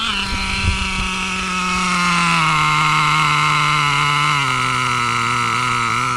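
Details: Stock Traxxas Revo 2.5R nitro engine, Trinity pipe, VP Race 20% fuel, single-speed conversion with 40T spur and 15T clutch bell: clean steady buzz easing down in pitch without stumbling; well tuned, normal running.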